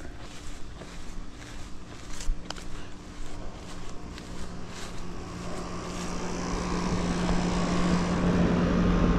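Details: Mobile home AC outdoor unit, condenser coil dirty; low steady hum that builds as the compressor and fan come up to speed, running evenly: normal running; coil cleaning likely to be recommended.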